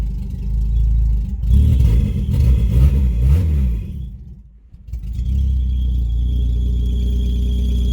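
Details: PT Cruiser with open header, warming up after start on low battery voltage, alternator charging but belt not tight enough; loud raspy blare swelling and dropping with throttle, settling to rough idle; open header exhaust.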